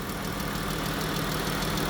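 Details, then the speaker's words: 2017 Jeep Grand Cherokee, engine (V6 Pentastar or Hemi) unconfirmed, heard from inside: faint quick ticking in time with a steady idle, possibly valvetrain or camshaft; valve covers to be pulled, source not pinned down. "Like I say, we might can get a better ear now that we inside. We might can get a better audio sound. Yeah, a tick that small"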